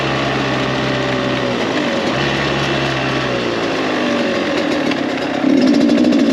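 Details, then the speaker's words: Rebuilt Kawasaki KX 85 two-stroke, maiden ride during break-in, up to third gear; small engine buzzes steadily and pulls cleanly through the gears with a crisp, even, quiet note; running healthy. "I'm actually surprised how quiet this bike is."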